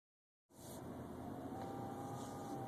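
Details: 2011 BMW 328xi in the cabin with a faint steady high-pitched whine over road and engine rumble; source unknown.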